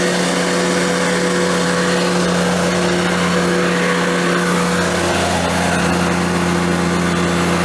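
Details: Ventrac 4500Y, 25 HP Kubota diesel, after freeing dirt-blocked parking brake switch: steady, even diesel drone, constant pitch, no knocks or misses; normal running.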